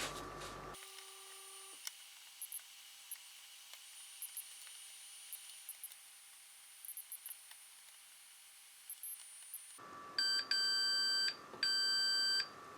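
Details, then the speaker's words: Harman Kardon PM645 amplifier, pre-driver circuit after a replacement resistor blew fast: faint clicks, then two long steady multimeter continuity beeps between voltage rail and ground, a dead short, traced to a bad decoupling capacitor. "there's a dead short between the voltage rail and ground no wonder it blew fast"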